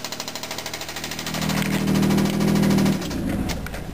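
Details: Mitsubishi VR4 swapped engine with under 5000 miles in 11 months, gently driven with 3–4 oil changes: deep, regular knocking about four times a second at idle, blurring as revved — rod knock, engine shot.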